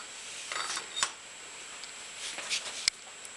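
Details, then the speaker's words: 2-stroke motocross dirt bike clutch turned by hand with no thrust washer fitted: faint, uneven metal-to-metal scraping as the clutch basket drops with gravity and drags. "normally it'll actually physically can you hear that metal to metal cuz the the basket was falling down gravity here"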